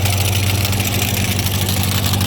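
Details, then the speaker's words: Ford 515 sickle mower on a tractor, freshly greased and tested: steady idle hum with fast, even sickle chatter and no weird big rattles; sounds good. "no weird big rattles or anything"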